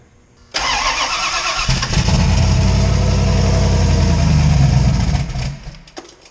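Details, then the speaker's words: Fox body Mustang with 358W engine and 80mm turbo, started after connecting the injector ground; about a second of cranking, clean catch, three seconds of deep even idle, then shutoff. Normal start. "all right now we've got our injector ground on she should come right to life"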